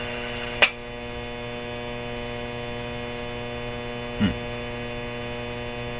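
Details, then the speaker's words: RCA Victor 911KG radio, motor-driven tuning on the 19-meter (15 MHz) band picking up no stations: loud, steady, buzzy hum that doesn't change with volume, with only two brief clicks. Mains hum, cause not confirmed. "So, I'm going to shut this off so we don't have to listen to that terrible hum"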